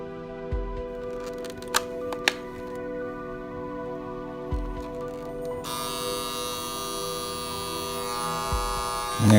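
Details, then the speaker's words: Copal Caslon 701 flip clock alarm that only works sometimes: quiet ticking before a steady raspy buzz kicks in late on its own, running 8–10 seconds roughly each minute; cause not yet found. "there it goes. And there it stops. Now about a minute, it'll go off again like that, and then go for 8 seconds or 10 seconds and stop."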